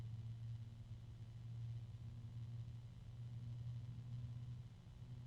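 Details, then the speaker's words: Phobya G-Silent 14 140 mm 1400 RPM PC fan at higher speed: quiet, steady low hum at one constant pitch, droning resonance; very noisy fan with noises in three far-apart octaves, bearings suspected. "this is a really noisy fan I'm actually hearing noises in three different octaves that are very very far apart from each other"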